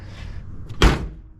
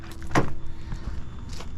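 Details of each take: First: 1988 BMW E24 635CSi door closing: one solid, clean thunk, latching first time with no rattle or bounce; door closing properly. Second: 1988 BMW E24 635CSi door before adjustment, corner sticking out: two slams land as dull low thuds lacking the classic metallic ping, pointing to a poorly fitted, misaligned door.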